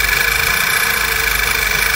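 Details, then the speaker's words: VW Passat B7 1.8 TSI petrol at idle: high steady whistle over a slightly pulsing uneven idle, appearing when warm, like air sucked in; PCV breather membrane apparently torn or valve sticking, vacuum leak, breather replaced with new. "Ну ладно в общем меняем эту деталь проблема в этом вот ну неровной работе двигателя в этом свисте Сапун там видимо рвется мембрана или остановится Дубовая клинит"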